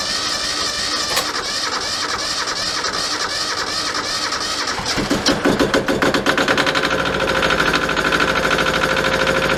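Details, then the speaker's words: Yanmar 155D compact diesel tractor after oil change, cranked with decompression pulled and half throttle: cranking rattle gives way after about five seconds to steady diesel clatter that firms up when throttled; starts fine. "Crank it over for a while because that builds oil pressure. I put the throttle on like halfway, and then as you're cranking, after about 5-10 cranks, let it back in and keep cranking, and they'll usually fire right off."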